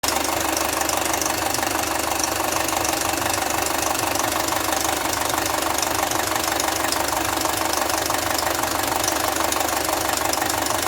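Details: Audi A4 B6 2.0L FSI (AWA) petrol engine at 264,000 km idling with a metallic rattling/knocking from the cylinder head; cause was a stretched timing chain and worn camshaft phaser, fixed by replacing the chain, tensioner and phaser.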